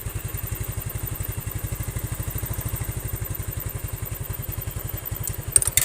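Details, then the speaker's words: Yamaha Mio scooter after carburetor repair and setting for hesitation on first throttle, heavy fuel use and low power: steady, even low putter with regular firing pulses, no stumble; normal idle. "Jadi udah kayak normalnya lagi ya. Jadi digas sedikit aja itu udah ngisi gitu kan."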